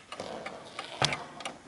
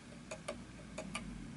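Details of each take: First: Antique 1920s Napoleon Hat 8-day chiming mantel clock after beat adjustment at the back (pendulum pushed left to find middle): light crisp ticks, tick and tock evenly spaced; clock now in beat. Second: Antique 1920s Napoleon Hat 8-day chiming mantel clock on an uneven surface: tick noticeably longer than tock, uneven pairs about three per second; pendulum out of beat and clock eventually stops, needs levelling/beat adjustment via prongs at back.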